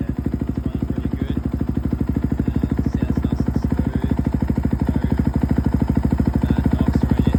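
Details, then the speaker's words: 2011 KTM 350 dirt bike, 40 hours on the hour meter, running after a failed stator was replaced to fix a no-spark no-start: a crisp, even single-cylinder thump at a steady idle, about three beats a second, no misses or rattles. "but yeah, it runs pretty good now."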